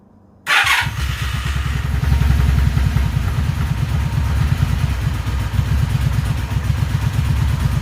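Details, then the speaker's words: Vitacci 200 single-cylinder four-wheeler after an oil change, cold-started with full choke: it catches at once and settles into a quick, even pulsing idle with no misses, a normal cold start on choke. "But now I get to fire it up and let it idle for a little bit. Put that off to the side. Pull the choke all the way."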